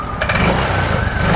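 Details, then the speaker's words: Honda Vario 125 that arrived dead with a silent fuel pump, now with the pump humming again: after starting, the engine runs steadily with an even low putter and no misses or knocks. "Ini udah hidup nih Masbro"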